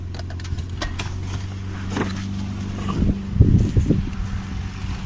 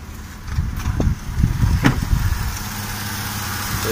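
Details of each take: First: Toyota 1JZ-GE engine during belt tensioner pulley diagnosis for a squeak and crackle: steady, even idle with no squeak or chirp, so the noise came from the belt-driven pulleys. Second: Toyota 1JZ-GE idling: irregular sharp clicks and crackles, squeak over low rumble from drive belt area; worn tensioner and idler pulley bushings, fixed by replacing the belt tensioner pulley.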